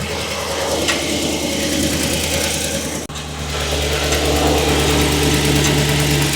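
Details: 2015 Chevy Silverado 2500HD at 197,121 miles, under 200 miles after an oil service, knocking worse when stopping from reverse and under load: fast metallic rattle over the idle at about three per second after start.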